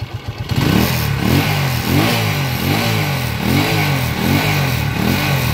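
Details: Honda TMX155 motorcycle after overhaul, earlier a very loud whining timing gear noise: engine climbs and drops cleanly through repeated blips, pitch rising and falling smoothly with no knock or clatter; normal revving.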